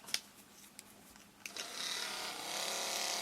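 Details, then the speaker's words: Toyota Avensis 2 2004 rear washer pump motor bench-tested on a 4.5 V battery with crocodile clips: a few sharp clicks, then steady high-pitched whir as the motor spins up; normal pump motor run. "vous attendez donc c'est que c'est le moteur il est beau c'est pareil pour d'autres"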